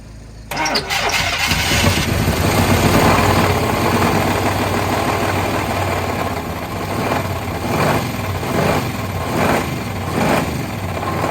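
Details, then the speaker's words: Long-parked truck first started after two-stroke mix added to cylinders: cranks, catches, idles rough, heavy knocking about three times a second; bottom-end knock, suspected broken or spun rod bearings, oil suspected milky. "i'll be dead it has a lot of bottom end noise for sure uh i don't know oh man that sounds like there is definitely some broken or spun rod bearings not just one but a couple"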